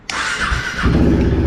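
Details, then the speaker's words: Motorcycle with Power Commander that would not start after its battery was disconnected and reconnected; owner suspected the ungrounded Power Commander. After grounding it, the engine catches at once and settles into a smooth, even low rumble; normal start and idle. "Yes. Yes. Oh, started."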